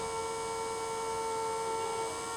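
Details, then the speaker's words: Old 12-volt bilge pump motor run on a bench supply at about 12 V, drawing a little over half an amp (about 7 W): steady even mid-pitched whine, no rattles or speed hunting; runs healthy. "good. Like it's still working and everything. Alright, this is definitely a good candidate."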